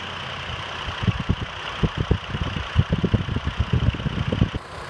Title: 04 chevy trailblazer , cylinder 3 misfire diagnosis, coil swap , ignition scope view